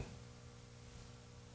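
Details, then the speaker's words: 1955 hand-wired National Schools tube radio powered from full AC line after about 20 minutes; as tubes reach full brightness, a low steady mains hum with even harmonics grows louder above the hiss. "You can see that the cathode is nice and lit up in there. So, and it's humming quite a bit louder."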